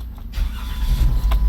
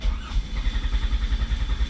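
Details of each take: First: Chrysler 200 that had no current to the ignition coils, after running a jumper wire to the coil feed: brief crank, then the engine catches and settles into a steady low rumble; clean start after the fix. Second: Chrysler 200, before repair: steady starter churning at about seven pulses a second, engine never catches; crank no-start with no power to the ignition coils, fuses okay.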